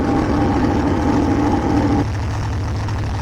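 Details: 1984 Corvette C4 Crossfire V8 after replacing an alternator whose bearing seized and shredded the belt; new belt fitted, charging at 14.3 V; even idle with steady low rumble, no squeal or knock at the front; normal idle.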